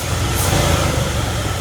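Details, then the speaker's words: 1977 Ford F-250 Highboy V8 after tuning, throttle blipped to check for stuttering: short burst with a steady deep exhaust note, no stumble, cough or hesitation; clean throttle response. "She seems good to me. That seems really good. Cool. Yeah. We got her tuned now, and as y'all can hear, you can hear it's not stuttering and it sounds good."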